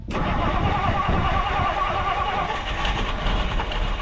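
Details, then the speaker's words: 1962 Ford Galaxie V8 restarted after freeing a stuck carburetor float: quick crank catches at once into a smooth, even idle with no misfire or ticking. Running fine. "running running idling again still round's good"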